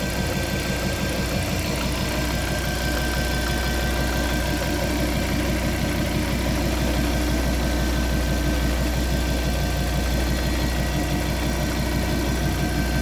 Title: Fiat Coupé 20v Turbo strange noise